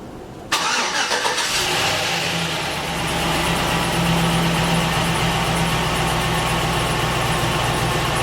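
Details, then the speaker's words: 284K-mile Chevrolet Silverado V8 just fitted with a Chopacabra cam, new valve springs and oil pump, coolant not yet bled: quick crank, catches, then settles into a choppy loping idle about four beats a second; normal lopey idle. "In case you were wondering what a cammed Silverado stock cammed Silverado sounds like. Dude, she's dialed."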